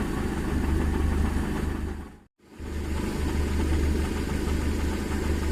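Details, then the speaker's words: Daihatsu Zebra Espass, after repair of a metal-on-metal knocking heard when warming up in the morning: steady low idle hum with an even beat and no tapping; the engine now sounds smooth, normal idle. "nah ini udah enggak terdengar suara aneh dari mesin temen-temen"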